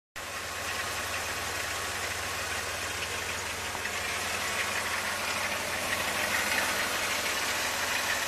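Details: Chrysler 3.3 V6 idling with a busy metallic rattle on top; timing chain noise.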